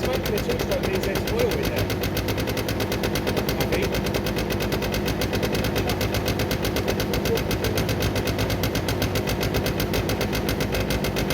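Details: Derbi 100cc two-stroke after carb clean, airbox refitted, fresh premix fuel, choke left on: fast, busy crackle with uneven lumpy firing; rough running on choke, spark plug found very wet and dark (fouled), later cleaned.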